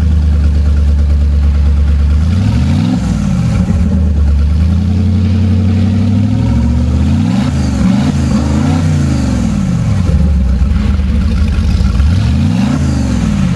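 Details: Marine Power 5.7L MR2 EFI V8 engine package running on an engine stand, with MR2 computer, high and low pressure fuel pumps and exhaust manifolds: steady low idle with several clean rev blips rising and falling smoothly, no knocks or rattles; healthy engine.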